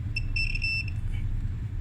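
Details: Multimeter lead check before testing a spare dryer part: steady high-pitched beep under a second when the leads touch; the leads have good continuity.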